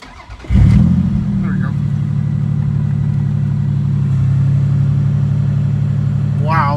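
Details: Toyota Celica GT-Six after fixing a fuel problem at the fuel pump and regulator. Air-fuel ratio is now near 14.7. The engine catches in under a second, then settles into a smooth, even idle with no misses; normal start and idle.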